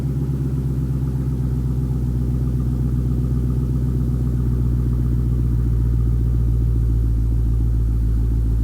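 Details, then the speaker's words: Dodge Hellcat (SRT) V8 double-tapped for a loudness comparison with an '84 Camaro: deep loud rumble building smoothly and holding steady, no knocks or misses; sounds good, healthy V8 revving. "Ooh. I'm feeling loss of hearing. Alright, she sounds good."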